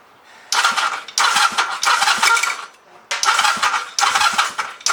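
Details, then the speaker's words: Chinese clone of a Honda Rebel 250 engine: on each press of Start, harsh half-second grinding bursts from the left case at the starter motor, and the engine never turns over. Starter clutch failure. "When you pushed the Start button it made this horrible noise from the left case, where the starter motor is."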